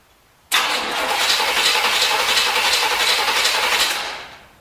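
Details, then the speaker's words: 1973 Corvette C3 bought on eBay: the starter whirs steadily at about four turns a second, with no catch or sputter and a hissing noise. Gas is in the carb and the vacuum ports are closed. Owner suspects wrong firing order, zero compression or water in the fuel. "guess my firing order could be wrong or there could just be zero compression"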